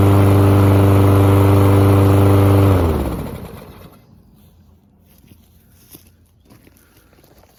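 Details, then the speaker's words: Lawn mower after carburetor cleaning, previously starting only on starting fluid: small single-cylinder engine holds a smooth, even drone nearly three seconds, then winds down cleanly; normal running. "All right, everyone. Well, I would say that is a successful carb cleaning job."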